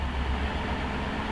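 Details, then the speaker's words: 2008 Buick Lucerne 4.6 Northstar V8, code P0300 with misfire counts on cylinders 7, 5 and 3: deep uneven stumbling idle after a rev, sputtering, with exhaust smoke. Suspected running too rich, not confirmed. "You hear the way the engine is sputtering, or at least it's, you know, fuel not mixing right."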